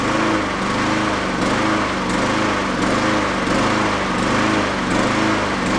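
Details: Yard-sale Honda mower after fitting a slightly larger jet; speed rises and falls about every second and a half, never settling; the larger jet didn't help, hunting from a clogged idle circuit; runs decently on partial choke.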